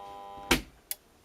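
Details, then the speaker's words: Monsoon 2-bar cold water shower pump with an intermittent fault, not switching on. Two sharp clicks about half a second apart over a faint hum as it is switched on and off: the circuit-board relay tries to pull in but doesn't fully engage. Relay is suspected, not confirmed. "i felt something on that go a little bit it clicked a little bit but now not fully because the only moving part in there is that relay"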